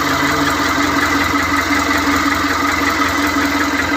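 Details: Mitsubishi Canter with a 4M42 diesel that had been hard to start. After the surplus EGR part was swapped back to the original, it runs at a steady idle with an even, regular clatter and no misses or knocks: a normal idle.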